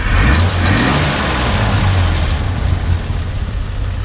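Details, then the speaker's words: 1959 Chevrolet Apache Model 1305 six-cylinder, already warmed up: fires up and runs smoothly like a sewing machine, deep even note climbing with the throttle and settling back, no knocks or misses; normal revving. "It actually starts pretty good, even when cold and even when warm. So go ahead and fire it up. You know, it just runs like a little sewing machine."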